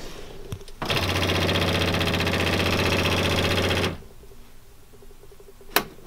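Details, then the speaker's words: 2005 Polaris Ranger 500 UTV, non-running project machine: a harsh rapid buzzing clatter, about four beats a second, starts with the key and stops sharply; owner suspects the fuel pump is failing, not confirmed. "But to me it sounds like the fuel pump's out. And I believe this has a fuel pump, because that sounds like a fuel pump."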